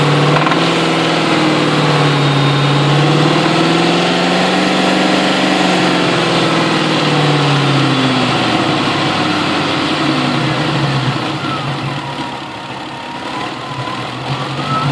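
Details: 2000 Ford Mustang GT V8 revving: buzzy metallic rattle at mid revs, only around 2200 rpm, seemingly toward the back of the intake; cause unknown.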